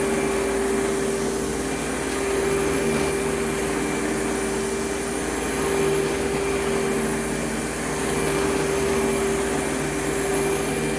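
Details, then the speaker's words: Advance Spectrum 12P vacuum, thrift-store find, on airflow test: loud steady airflow roar with fixed mid-pitched whine; owner suspects brush roll clutch assembly rather than motor bearings, not confirmed. "you know i'm kind of wondering if that noise is the uh the clutch assembly because just out of curiosity i turned it off after the airflow box and it seems like the noise was coming from right around here somewhere i mean i thought it was motor bearings"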